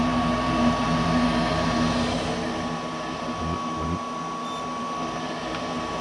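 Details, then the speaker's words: Goodman gas furnace not heating, air conditioning fine: steady inducer fan hum with igniter cycling but no burner whoosh; 24–26 volts at the gas valve, yet it doesn't open, gas supply verified; valve to be replaced. "I'm getting 24 volts to the valve, but it's not opening."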